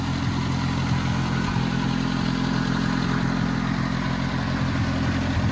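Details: Oliver Cletrac OC3 crawler idling outside after the manifold gasket was changed and the carburetor adjusted: a low, steady chug at an even beat with no misses or knocks, and barely any smoke now. Normal, healthy idle.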